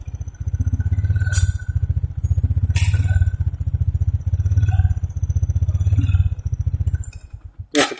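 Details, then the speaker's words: 2014 Honda Supra X 125 fuel-injected motorcycle: single-cylinder idle swells and sags about every 1.5 seconds, never settling; hunting idle, suspected ignition, electrical or injection fault, not confirmed. "seperti temen-temen naik turun orang dia naik Karang tinggi kadang rendah gitu"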